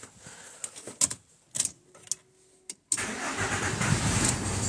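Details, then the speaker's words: 1995 VW T4 with ACU petrol engine, cold at 11 degrees, coolant sensor simulated at about 40 degrees: scattered clicks and short bursts, then it finally catches and runs roughly; hard starting. "manchmal wieder auf 40 Grad dann wird er wieder scheiße anspringen weil wie gesagt"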